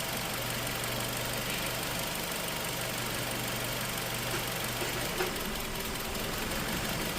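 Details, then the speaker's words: Nissan X-Trail QR20, P0302 cylinder two ignition fault, scan tool power balance test at idle: hum sags and changes tone as cylinder four is cut, rpm dropping to about 575; normal drop of a healthy cylinder, cylinder two weak. "So, I mean, number two sound like it's contributing a little bit, but in comparison to the others, it sound like it's definitely weak. So, we're going to do number four and listen to the tone of the engine."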